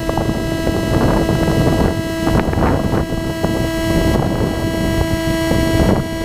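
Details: GoPro plugged into a Phantom 2 Zenmuse HD-3D gimbal recording loud noise: steady whining tones at several fixed pitches over a gusty roar throughout, unrelated to motor rhythm; interference in the camera audio, cause unknown.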